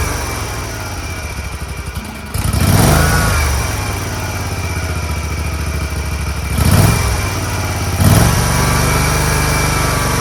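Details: Scag Tiger Cub 48" commercial zero-turn mower with a start-and-stall fault, after reattaching the loose choke linkage: a steady low engine drone with brief throttle swells and no knocks or misses. Normal running, called fixed.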